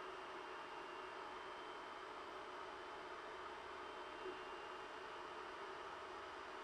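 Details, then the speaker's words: Ender 3 printing (SKR Mini E3 board, Noctua cooling and mainboard fans, stock PSU fan kicking in): steady, even airy whoosh with no rattles or pitch changes. Normal printing noise, a little louder than idle. "the sound does increase a little during the printing process but it's still fairly quiet for the most part with ambient noise around you won't even notice it"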